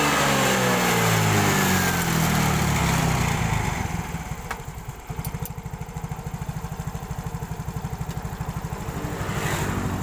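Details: Yamaha scooter (X-Ride/Mio type) that kept stalling on the road, started after its fuel pump was replaced: revs rise then settle to a steady even putter of about three beats a second without stumbling, running properly.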